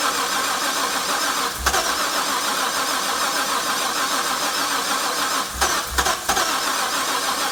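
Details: Harrop-supercharged LS1 cranked after its crank position sensor was replaced and its stale fuel swapped, following backfiring and stalling: fuel pressure holds at 60 psi; a steady, fast crank with occasional low thumps, but it never starts; cause unknown.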